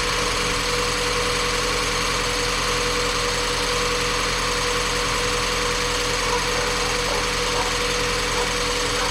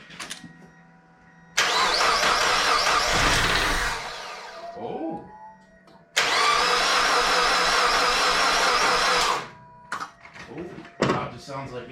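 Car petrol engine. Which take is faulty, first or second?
second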